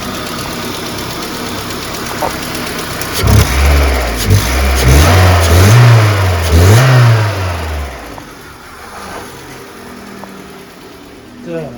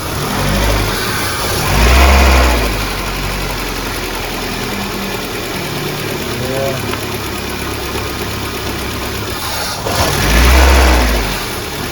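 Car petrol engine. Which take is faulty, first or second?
second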